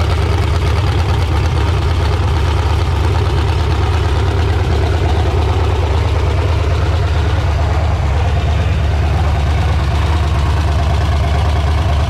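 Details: Freshly resealed LQ4 6.0 LS V8 on a run stand with a Holley Terminator X, open headers, no radiator; loud, deep, steady burble at idle and revving, running evenly without misses or knocks.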